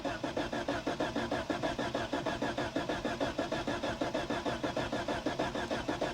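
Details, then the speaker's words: 1973 Toyota Hilux, 18R 2-liter 4-cylinder with mechanical fuel pump, unused about 20 years: starter churns steadily around ninety-five turns a minute without firing; loosened fuel line dry, no fuel delivery. "So I went ahead, I loosened this fuel line, and right now we're dry as a bone."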